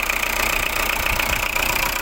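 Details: Diesel car: harsh, loud clatter over a steady idle with a hard metallic edge; rough, noisy diesel, cause not confirmed.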